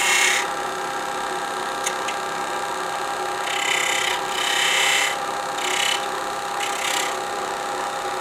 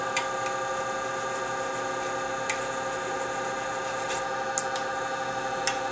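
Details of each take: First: Woodturning a sapele bell ornament with a spindle gouge on a lathe, thin piece supported by the tailstock to keep it stable; steady hiss of even, unbroken cuts with no chatter, workpiece running stable. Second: You hear the vibration out there. He's not happy out there.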